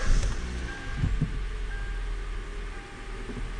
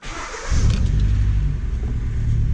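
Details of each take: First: 2014 Hyundai Elantra at idle after fitting a new ignition coil to fix cylinder misfire: smooth, even idle with no skipped beats, firing on all four cylinders; misfires gone though CVVT limp-home state remains. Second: 2014 Hyundai Elantra with P0304 and low-voltage codes just started: low uneven lumpy idle with a loping beat from a dead cylinder; cylinder 4 misfire from failed ignition coil.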